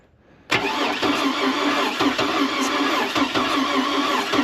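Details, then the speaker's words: Oldsmobile Bravada, crank no start after sitting, water found in a cylinder: starter spins fast and perfectly even with no slowing on compression strokes; no compression, blown engine. "Okay. that was the noise I was hearing. This thing ain't got no compression."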